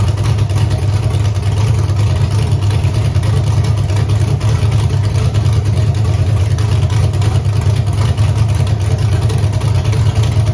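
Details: Camaro with Holley EFI 5.3 LS V8, closed loop off, wideband suspected: steady deep idle with an uneven, lumpy pulse, one cylinder seemingly not pulling; rough idle misfire, cylinder eight suspect, unplugging its coil changes nothing.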